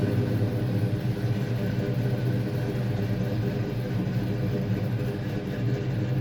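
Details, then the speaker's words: 1992 Fox Mustang V8 after A/C compressor clutch replacement and new tight serpentine belt; smooth even idle, steady low rumble, no chirp, squeal or clatter, compressor clutch no longer catching. Normal idle. "Here I'm just looking over everything, making sure this new serpentine belt's looking about the right length, the tension is good, and I can see the AC compressor is spinning nice and freely, that clutch is no longer catching like the old one."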